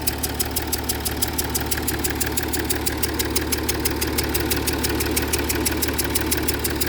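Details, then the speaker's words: Jaguar XF S 3.0 diesel with knocking and smoke in cabin: fast chuffing tick about three a second over idle, changing with revs, hissy puffs; combustion gas leaking around an injector, suspected failed injector seal. "Looks like it's coming from around that injector. Spray some of this down here and see what happens. It's actually quite choking, to be fair. Oh, it's definitely coming from around that injector."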